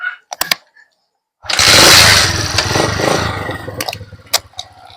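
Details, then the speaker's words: TMX Alpha 125 motorcycle: catches and revs strongly, then sags and dies within seconds when the headlight is switched on, leaving only clicks. Stalls under headlight load. "Pag binuksan natin yung ating headlight, namamatay yung ating yung ating motor."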